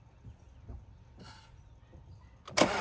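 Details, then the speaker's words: Audi A4 first start after rebuild, front clip, intercooler and belt refitted: near silence while cranking, then engine catches abruptly and fires up strong; some smoke, which the owner considers normal from handling; sounds great. "Fuck yeah. That's the smoke. That's normal, my hands have been all over it. Sounds great."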